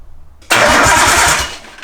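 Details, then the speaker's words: Nissan Skyline RB20 engine in a rebuild, cranking after a missing plug was reconnected and power restored: strong, even chuffing beat about eight a second, each stroke alike; compression sounds healthy and balanced. "oh yeah sounds like it's got comp all right this time we definitely have compression that's a healthy sanding ob20 boys"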